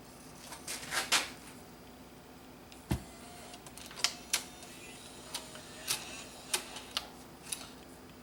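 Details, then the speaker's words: Dropped Bose music system CD changer: quiet room with scattered sharp ticks and clicks at irregular intervals, disc not spinning; suspected bent top plate freezing the disc, which spins if pushed by finger. Cause suspected, not confirmed. "I can hear it it's like something is bent I think I think this top plate is bent a bit"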